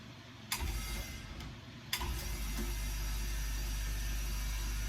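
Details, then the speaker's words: New Gaahleri Apex Force ultra-silent compressor, first switch-on with completely empty tanks: two short start-up thumps, then low, smooth, even hum with no knocks or rattles, already at 30 psi; noise expected to rise with pressure. "That is literally, and it is already up to 30 psi. That is incredible. That is so quiet. Obviously the noise will increase as the pressure increases"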